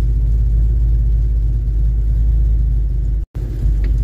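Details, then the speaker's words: Mustang V8 after new factory-style tailpipes replaced poor pipes, heard from inside the car: deep steady exhaust rumble, even and with no rattles or leaks; sounds right after the repair. "car is back on the ground looking pretty good sounding 100% I'm happy with it"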